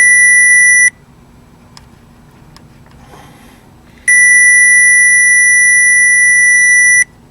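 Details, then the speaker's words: 2010 Chevy Malibu 2.4 with no start and no injector pulse, tracing the injector feed wire with a short finder: a steady high tone drops out, then returns, marking where the signal disappears at an open in the harness. "it disappears right here right in that being and it disappears right there so i'm gonna pull this harness and let's just take a look right here"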